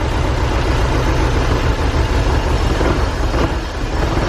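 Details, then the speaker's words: Porsche 944 sitting 10 years, on starting fluid: engine catches and runs rough and uneven a few seconds, sagging toward the end; spark present but no fuel delivery. "he's alive pretty awesome we have spark yeah there we know we just don't have fuel"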